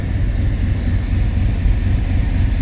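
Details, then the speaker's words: 1995 Chevy 1500 V8 after the part hitting the shroud was tied out of the way; oil pressure low, exhaust holed: a deep, even rumble with no knocking; not the smoothest engine but it idles decently. "Yeah, definitely not the smoothest engine. I mean, it does sound pretty decent."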